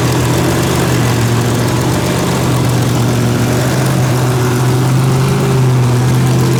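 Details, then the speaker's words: First fire of a rebuilt 283 small-block Chevy with a solid roller cam and about 12:1 compression, untuned, timing not set, twin carbs not linked. Steady fast idle to warm up, smooth rumble, no knocks. "it ain't tuned yet i will have to get the timing light and put a tune in it but i mean it'll fire so that's good enough and the carburetors aren't linked together so i have to kind of work them both but hey it runs that's that is awesome"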